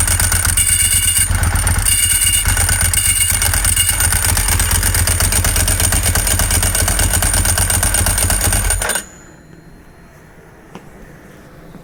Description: The sound of a worn Ducati Clutch and throwout bearing beginning to fail.